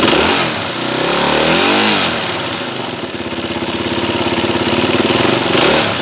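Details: Yamaha WR250R single-cylinder with 26,000 km, swamped in spring (exhaust drained, airbox not; several oil changes) and since using some oil; blip settles into idle with quick, fairly even clatter over the exhaust beat, rattle source unknown.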